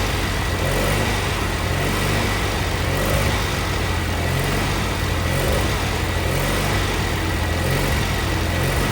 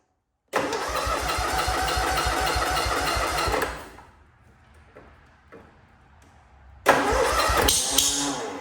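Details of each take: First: Cub Cadet Cyclops twin-cylinder Kohler 18 engine, first start after replacing the head for a badly blown head gasket, run off an M18 battery pack wired to the starter: ticks over steadily with an even low thrum, no knocks or misses, healthy idle. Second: Cub Cadet Cyclops with Kohler 18 hp twin, fresh 10W-40, cold start: catches fast, runs about three seconds with an uneven lumpy beat, dies, restarts; not firing on both cylinders, blown head gasket found, coil, plug or muffler also suspected.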